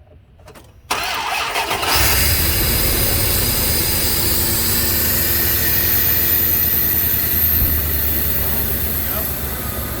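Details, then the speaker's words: Truck just after replacing the idle air control valve, started with the air intake off. It catches quickly and holds a fast, steady idle while the computer relearns the new valve. This high idle after start is expected. "Dial a little higher first. It'll take a few minutes. It'll take a few minutes for the computer, or a few starts for the computer to figure out the new idle air control valve"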